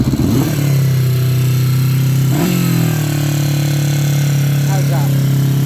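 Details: Restored 1977 Moto Guzzi 254 250cc four-cylinder, started on choke with both fuel taps on; steady low exhaust drone with a brief throttle blip, no knocks or rattles; runs healthy, if a little noisy.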